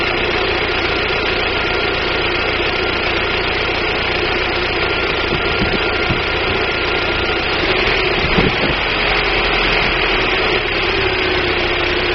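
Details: 1999 Daewoo Nubira 2.0L DOHC U20SED at idle: uneven stumbling beat with irregular dips over a steady hum, misfire; owner suspects weak spark from the DIS ignition coil, not confirmed.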